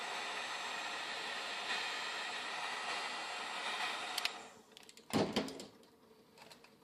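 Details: DIY solar PV water heater, 4x320 W panels feeding 240 V/4500 W element at about 120 V DC, 8 A: thermostat contacts arc with steady sizzling crackle and blue arc, unable to shut off, then clacks; contacts likely fused after reaching 163 degrees.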